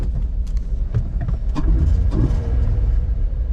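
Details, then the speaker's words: VW Beetle VR6 at idle after an engine flush and hydraulic lifter additive: smooth low purr, the lifter tick gone apart from maybe a slight trace, no dash lights; normal idle. "lifter tick is completely gone I don't hear a thing at all whatsoever maybe a slight bit"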